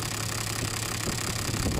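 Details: Toyota Land Cruiser diesel idling: lumpy, uneven, stumbling idle with shaking; injector number 3 delivers too little fuel, causing that cylinder to misfire.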